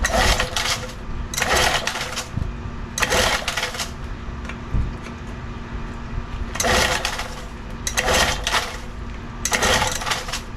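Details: Old outboard motor in a water tub, pull-started after repairs: repeated cranking bursts with no catch, never fires. Its ignition coils are cracked and melted despite spark on a tester. Cranks but will not start.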